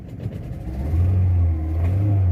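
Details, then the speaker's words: 2016 VW Saveiro Robusta in first gear climbing a ramp: deep uneven drone swelling with revs, lumpy low beat and knocking, no power; owner suspects spark plug leads and plugs or something more, not confirmed. "Ela subiu, porém com o motor fazendo muito barulho, tá sem força."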